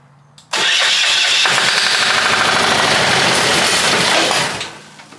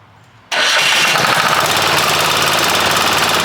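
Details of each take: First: Long-sitting ex-military Hatz 1B20 single-cylinder diesel pressure washer, battery hooked up and solenoid pump removed. A loud, harsh cranking roar for about four seconds fades without settling into an even idle: a rough start. Cause suspected, not confirmed. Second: Long-sitting military surplus Hatz 1B20 single-cylinder diesel pressure washer, started on starting fluid with no water in the pump: fires at once into a hard, even clatter with no misses or knocks; normal running.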